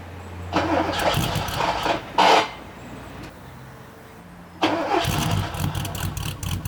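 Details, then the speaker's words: Porsche 928 V8 that took 5–10 minutes and 10–12 key turns to start, with the injectors heard squealing: it stumbles, dies, catches again and settles into a rough idle. A hard start whose cause is not confirmed. "I probably turned the key 10 12 times you know cranked it nothing um I could hear the injector starting to squeal so I knew fuel was comi"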